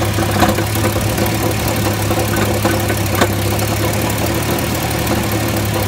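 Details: Jeep XJ 4.0 six-cylinder idling: steady low hum with a light metallic rattle; source unknown, flex plate checked tight and apparently not cracked.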